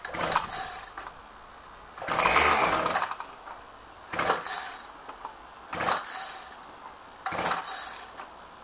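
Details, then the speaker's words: Ryobi saw on a cold start with ignition on and choke set, in strong wind. Five rasping recoil pulls crank the engine but it never fires, and the recoil spring is acting up. Owner suspects stale fuel; hard starting, no fire. "choke i think the fuel might be too stale let's try smelling it that smells a bit stale to be honest"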